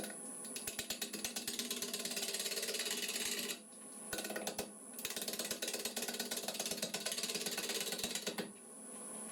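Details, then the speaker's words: Lathe at about 800 rpm turning a natural-edge bowl from irregular green wood: fast, uneven ticking and chattering about three per second as the gouge hits the uneven rim, with dropouts between passes; interrupted-cut chatter. "Like I say, that bit of knocking and chatting you can hear. So obviously as I'm coming in there, it's there, it's it again, it's there."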